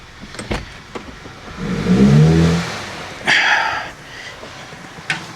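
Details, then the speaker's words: Audi A5, turbocharged, 6-speed manual, after clearing codes; floored, the engine swells briefly then sags and fades as if dying, with almost no exhaust coming out; clogged exhaust, likely catalytic converter, suspected. "Are we smoking at all? No. There's no exhaust. There's almost no exhaust coming out of this at all. The exhaust is clogged."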